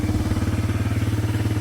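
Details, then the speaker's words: Suzuki DRZ125 dirt bike, started after cooling off a little: small single-cylinder thumping at a quick, steady pace, smooth but a bit faster than a relaxed idle; idle still a little high. "It's a little high now still."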